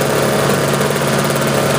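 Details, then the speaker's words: Sears snowblower on half choke just after start, following a carb rebuild, new float, bowl, fuel line/filter, primer bulb and spark plug; non-adjustable carb runs lean; loud, smooth, even drone under auger load, no hunting or misfire; running healthy. "So let me fire it up here. Put it on half choke. There we go. Auger works good down there."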